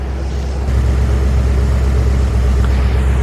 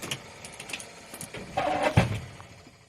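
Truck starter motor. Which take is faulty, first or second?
second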